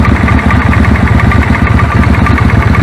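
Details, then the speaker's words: Suzuki Intruder V-twin idling: uneven idle thump with a faint irregular crackle, arc tracking inside the plug tube from a long, cracked plug cap; moving the cap reduces it; new set of plugs planned. "by moving the cap about it reduces the tracking the audible level of the tracking anyway so I think we'll have a new set of plug"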